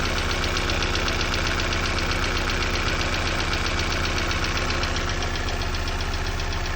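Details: Opel Z16XEP engine at cold start: steady rapid knocking, about four a second, over a cold idle; cold-start engine knock.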